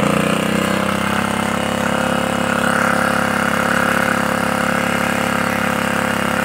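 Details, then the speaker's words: Honda GX80 water pump engine after complete setup and pull-start: steady even small-engine drone holding constant speed with no misses or knocks; running properly. "देखिए मेरा machine स्ट हो proper चल रहा है देखिए बहुत बढ़िया चल रहा है"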